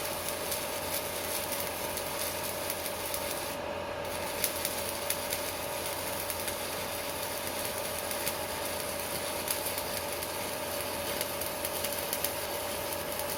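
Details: Strat 160KS welding inverter welding with its casing removed: only a steady frying arc hiss and a faint constant tone, no hum underneath; quiet without the casing, whereas it hums once the casing is refitted.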